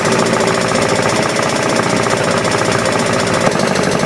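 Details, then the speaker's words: 34-year-old Alfa Romeo 33 first started after 23 years not running: a loud, fast, even clatter over a rough, barely running idle, after swapped ignition leads had caused backfiring. Owner hopes it is the belt; possibly unpumped hydraulic lifters. Cause suspected, not confirmed. "this is not good this sound I hope it's just the belt"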